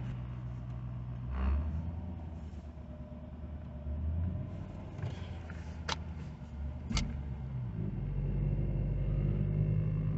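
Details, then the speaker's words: Infiniti M45 V8 at 900 rpm: low steady drone and humming vibration, feels like it's struggling; an aftermarket aluminum undertray touching the oil pan is resonating. "The car still has that weird drone at 900 RPM. It kind of feels like it's struggling, honestly."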